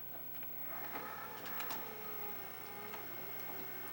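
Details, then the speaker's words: 1985 Magnavox VR8530SL01 (rebadged Panasonic) VHS VCR with Dolby on, tape inserted and play pressed: soft motor whir with light clicks as the tape threads, and no solenoid clunk, unlike a 1984 Sylvania; normal tape loading. "As you can see, if you watch my previous videos, it sounds very similar to the 1984 Sylvania, but the solenoid doesn't go clunk at the beginning for the break."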